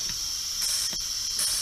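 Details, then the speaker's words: Peterbilt 352 cabover during restoration, air system pressurised with a compressor after the air dryer was installed: steady high hiss that shifts in tone; owner believes the windshield washer button is leaking, since the tone changes when he covers it. "Pretty sure it is the windshield washer button up there that's leaking. When I put my hand around it, air changes, the tone of the air changes"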